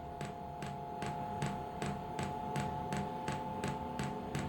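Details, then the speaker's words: Diesel air heater (Amazon unit, about £70) on a test bed before fitting to a boat, first start: soft regular ticks two or three per second over a steady fan hum as the dosing pump primes, fuel visibly drawn up. "can you hear that ticking noise that is the fuel pump and I can actually see the fuel being pumped up now"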